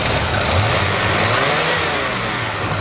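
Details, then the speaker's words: Squarebody 454 big-block, cold, just after belt upgrade and retightening for big aftermarket alternator: deep even burble swelling smoothly when blipped, no belt squeal or slap; oil pressure up, appears charging; normal cold rev. "i love that sound it sounds so sweet sounds like it's got a big can but it doesn't it's just cold"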